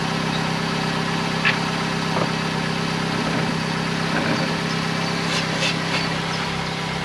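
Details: 2008 Vauxhall/Opel Corsa 1.2 petrol idling after the exhaust middle section up to the catalytic converter was replaced and the lambda sensor refitted. Steady, quiet, soft even rumble with no blowing or rattling; much quieter, normal idle.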